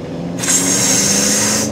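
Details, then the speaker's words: Older Honda CR-V, no power, won't exceed 35-40 mph, brake and VSA lights on, driving under load: loud steady hissing rush like an air compressor; excessive back pressure suspected, likely restricted exhaust. "Our brake light and VSA light has nothing to do with the fact that we can't go over 35 mphs. Because if we have a close listen, this thing sounds like we're driving an air compressor."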